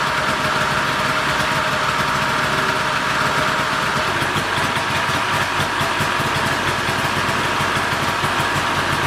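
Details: Polaris snowmobile with its old 488 two-stroke, after freeing the seized engine and cleaning the carbs, including a previously missed jet; it restarts from dry carbs and settles into a steady, even idle with no misses or surging.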